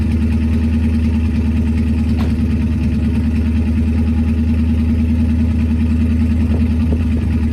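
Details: Ford Focus twin-turbo V8 project car, first start after fitting a new custom TIG-welded stainless exhaust: a deep, loping idle with an uneven beat and occasional stumbles, a misfire at idle whose cause is not yet found.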